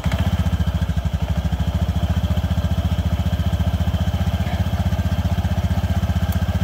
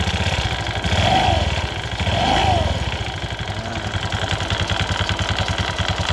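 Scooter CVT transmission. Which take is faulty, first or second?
second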